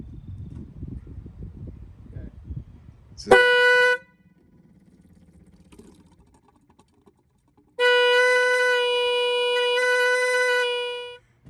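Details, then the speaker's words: 1966 Jaguar E-Type roadster, ignition switched on for the first time to run the fuel pump: two loud horn blasts, one short and one held several seconds, sound by themselves. Cause not identified. "okay as you can see several things happened the uh I guess the horns work to some degree we did get some pumping there's the fuel"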